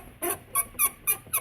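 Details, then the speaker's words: 1998 GMC K1500 heater blower motor, spun by hand: five sharp, dry squeaks, one per turn of the squirrel-cage wheel, from a worn, dry bearing starting to bind; the old motor sometimes seized. "oh you can hear that back please squeak so this thing's going anti-black and just squeezing and Oh crazy"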